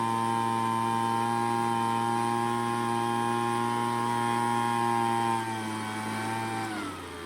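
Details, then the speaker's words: Craftsman two-stroke leaf blower, long-stored non-starter, during carburetor mixture adjustment: high steady buzz whose pitch sags and wavers, nearly stalling, as the mixture screw turns toward lean before backing out to a good idle. "Well, I hope you could hear the difference as I turn that low end to get it to idle, and then on that high end as well."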